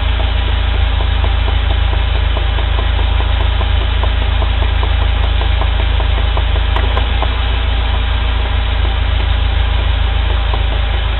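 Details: UAZ Patriot pulling away gently in first gear as the clutch is released: steady engine with a dull knock repeating about three times a second from play in the driveshaft universal-joint cross; worn U-joint.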